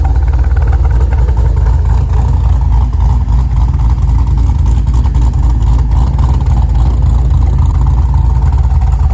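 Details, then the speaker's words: Pontiac G8 V8 at idle after reinstalling the engine with the destroyed torque converter replaced. Deep, steady rumble with an even beat and no misses or knocks; running good. "But she's running good."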